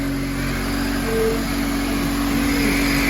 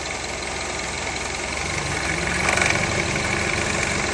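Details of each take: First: 2003 Honda CR-V (K24) after repair (AC compressor clutch, timing chain tensioner, oil pan gasket, engine reseal): steady even hum with a strong rush of fan and air, no rattles or ticks; engine runs smoothly and healthy. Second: 2003 Honda CR-V K24 idling with AC turned on: harsh, uneven metallic rattle from the AC compressor clutch, found completely worn out and replaced.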